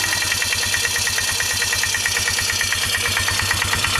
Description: 2002 Polaris Magnum 325 4x4 engine knocking.